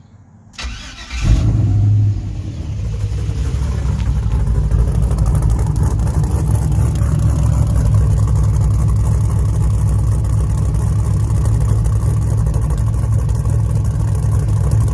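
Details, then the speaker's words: 1975 K20 pickup with a 5.3 LS swap and stage 2 camshaft, fairly cold after a two-minute run: a short crank, then it catches and settles into a deep, choppy, lumpy but even idle. A healthy cammed V8. "it's got a pretty aggressive idle and i will uh let you hear that next"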